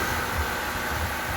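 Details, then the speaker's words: Honda CR-V engine idling after the alternator bolt and tensioner bracket were refitted: smooth, even, low idle hum with the earlier rattle and clatter gone; quiet, normal idle after repair. "naitubo kaya mga idol nawala na 'yung wala na 'yung tagalkal Tahimik na."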